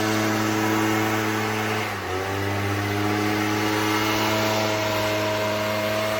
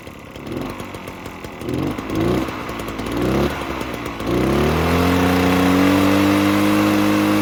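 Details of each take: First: Echo PB-403T two-stroke backpack leaf blower that had sat for years, ran only on half choke and wouldn't rev, after service: steady buzz that dips briefly then holds even revs without missing; running cleanly. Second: Echo PB-403T two-stroke backpack leaf blower that sat for years, started on choke: sputters, catches unevenly, holds a buzzing rev that won't climb and sags, smoking a lot; bad fuel suspected, carb cleaning planned.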